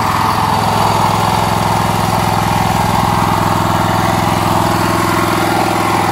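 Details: Honda GX390 13 HP single-cylinder rock crusher motor, just rebuilt, test run on a trailer: a steady, even thump at a fast idle (idle seemingly set a little too high) with no misses or knocks; runs fine.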